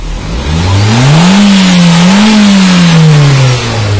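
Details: Nissan Grand Livina engine after replacing the leaking coil protector sleeves and all ignition coils, which had caused rough running and a dead coil: a smooth, even note climbs, holds and settles with no stumbles or popping, and the misfire is gone.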